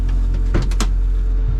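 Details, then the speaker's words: Car just after ignition off: the Davies Craig electric water pump and cooling fans keep running to cool the engine, a steady low electric hum under a few clicks, normal after-shutdown cooling. "what happens is the car was at I don't know whatever temperature and the water pump when you turn the ignition off the water pump and the fans kick on I can hear them the fans and the wat"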